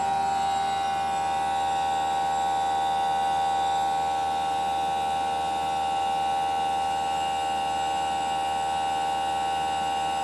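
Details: Newly installed Greenspeed heat pump running with a loud, steady tonal whine and hum instead of a quiet whoosh.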